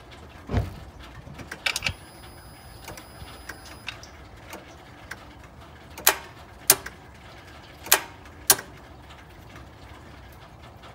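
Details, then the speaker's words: Honda Pilot no-start, listening at the starter beside the transmission dipstick with the top cover off: sharp single clicks each key turn, no cranking; battery weak but holds a load test; suspected failed starter motor. "now when I turn the key I get a click and I think it's I think it's the starter clicking"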